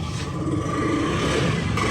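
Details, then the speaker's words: Honda Zoomer-X after repairing a hard-starting problem traced to a broken pin inside the fuel pump; it had also hesitated under throttle. It starts immediately and settles into an even idle with no misses. "Ayan, subukan natin i-start. Ayan, umandar kagad yung Summer X natin, ano?"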